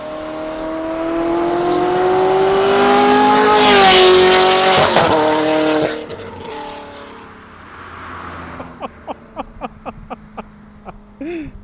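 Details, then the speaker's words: Ferrari F430 Scuderia on the road after ECUs refitted with new tune; engine pulls up cleanly with steadily rising note and settles without hunting, no surging, which the original pops-and-bangs tune had caused. "it sounds like it's not doing the surging so that was the problem is the original tune they're trying to do some of the pops and bangs"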